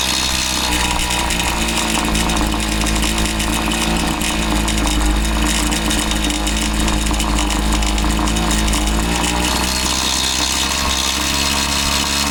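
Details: Husqvarna 525PT5S two-stroke pole saw, previously bogging, on the final run after carb work and a new ignition coil: it screams at steady high revs and holds speed through the cut without bogging or surging; it sounds healthy.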